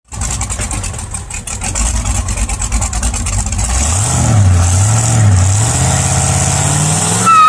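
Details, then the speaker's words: LS1 V8 swap car with sloppy stage 2 cam, GT35 turbos, HP Tuners tune, no wideband yet: choppy pulsing idle with sharp pops, revs climbing unevenly; running very rich, backfiring, fumes burning eyes. "it runs all right i know it's backfiring and popping and it's burning my eyes it's so rich honestly"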